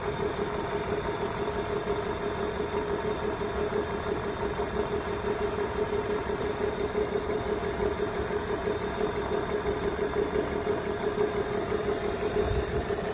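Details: BMW at idle, diagnosed with a cylinder 2 misfire: a repeating stumble about twice a second gives an uneven, lopey beat instead of a smooth hum.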